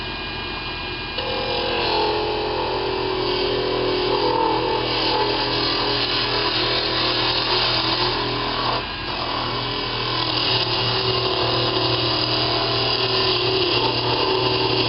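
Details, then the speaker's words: Wood lathe turning a fishing rod handle, running wide open, beveled curve scraper cutting: steady motor hum with chatter and scraping, pitch sagging as the larger cutting area bogs the motor down. "see there you can hear me I'm bogging the engine down are the motor down pretty good and that's because there's more cutting area on there"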